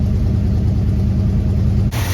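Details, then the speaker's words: 1964 Dodge Dart GT 273 V8 4-speed convertible, carb cleaned with new gaskets and accelerator pump, idles reset and timed, choke not fully closing: deep lumpy uneven idle, fine off idle; vacuum leak suspected, possibly intake gasket, unconfirmed. "You can just tell it doesn't idle happy, never did, but sounds great everywhere off idle."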